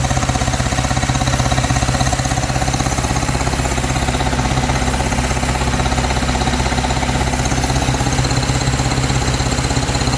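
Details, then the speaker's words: 1953 Hillman Minx barn find, first run after 30 years, no coolant, points rebuilt and regapped, smoking from oil put down cylinders: steady, even idle at about two firing pulses per second, smooth low beat, no knocks; normal idle. "So I don't know. It sounded alright. It actually idled."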